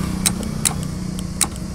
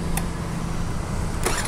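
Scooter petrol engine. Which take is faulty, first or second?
first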